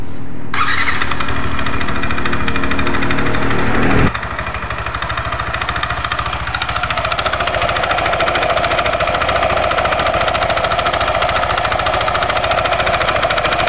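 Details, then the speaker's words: Yamaha NMAX scooter at idle: a regular rattling clatter about three times a second, resembling a con-rod knock; loose CVT V-belt from worn roller housing and roller fan; too-loose valve clearance also causes ticking; loose drive belt. "Nah, ini yang kedua, problem kedua ini di bagian P-belnya ini mengalami kendor ya atau longgar. Nah, ini juga bisa menimbulkan suara kemeladak ya, geledak seperti stang sekernya yang kena rekan-rekan."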